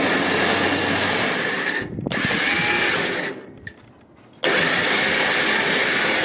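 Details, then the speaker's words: Badland 12,000 lb trailer-mounted winch with a wireless receiver, replacing a faulty 9,000 lb unit. A steady, even high motor whine under load that pauses and restarts cleanly, with no grinding or clunks; it pulls normally. "there we go this one no problems obviously you could hear it that nine thousand pound was wrong with it from the beginning"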